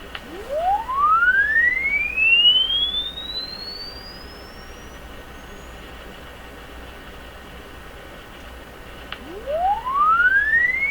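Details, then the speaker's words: Crosley 12B tube radio audio stage after restoration, sweep tone fed through: clean tone glides smoothly up and down in pitch with no dropouts or wobble, meter steady; smooth sweep response, though distinct harmonics were noted earlier. "don't see anything funny happening with us it just seems to go up and then come down"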